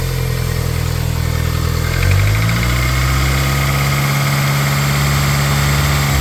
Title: 420a possible piston slap or valvetrain knock